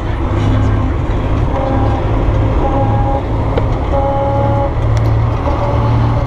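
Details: Gear whine from the transmission while driving: a thin tone comes and goes above heavy engine and road drone; cause not known.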